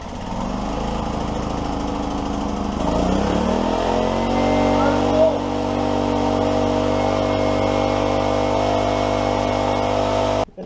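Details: 1991 Honda EX1000 generator after a no-spark fix, carb clean and tune-up, started cold on choke. It catches after about three seconds and settles into a steady, even drone with no misses or knocks; runs clean.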